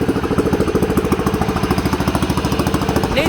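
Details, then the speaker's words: 1960s/1970s Sears 10/6 lawn tractor idling after getting more gas; very loud, raw, rapid popping exhaust beat with nothing damping it. It needs a new muffler. "a new muffler. It's really loud. Check out how loud this is. That's ridiculous."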